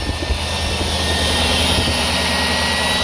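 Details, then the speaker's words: 2003 Cadillac DeVille DHS, P0410 secondary air injection repair, pump bolted to a frame rail underneath: with the scan tool disconnected, a loud steady whirring over cold-start idle as the air pump runs properly. "Let's try it now with the scan tool disconnected. Yeah, there it goes. I hear it."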